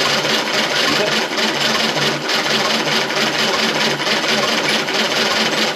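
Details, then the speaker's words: 1935 Austin 7 engine: steady starter churning with even, light compression pulses, no firing; no normal back pressure felt, though gasoline reaches the carb and drips from the exhaust manifold; cranks but won't start. "let's try it just with if it's kicking a call I don't feel the normal kind of back pressure I get it's definitely getting gasoline there's gasoline coming out the exhaust manifold"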